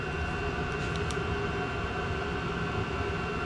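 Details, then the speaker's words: Chinese diesel heater (Vevor) running after extra fuel added, at about 204°, in Alpine mode with a rag fully blocking the air inlet: even, unbroken roar with a steady whistle, no pulsing or coughing; burning cleanly and properly. "listen to it even it sounds good it's a nice steady burn"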